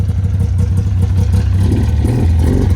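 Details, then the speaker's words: Ski-Doo Skandic two-stroke snowmobile, bought not running, odometer reads 7,000 miles, started: a fast, even low putter that picks up smoothly when revved with no misses; smokes heavily and smells bad, oil light on; normal idle and rev. "Look at that. She purrs. Pretty sweet. It smells kind of bad and it smokes like crazy."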